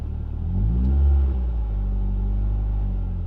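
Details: Ford Fiesta ST150, cold engine, throttle blipped and released: revs rise and hang around 1,000–1,500 rpm before sinking slowly to idle; sticky idle caused by a split PCV hose behind the intake manifold, throttle body cleaning and intake hoses didn't fix it.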